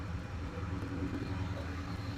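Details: Flood-damaged 2010 Dodge Challenger SRT8 V8 with 6-speed manual and about 58,000 miles. Low, steady idle rumble with no misses, knocks or surging. V8 idling evenly.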